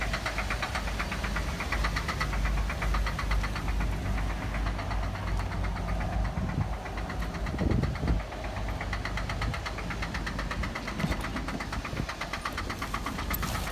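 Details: 2008 Cadillac CTS at idle after start-up: fast, fairly steady knocking roughly two to three per second, deep engine knock; cause not determined.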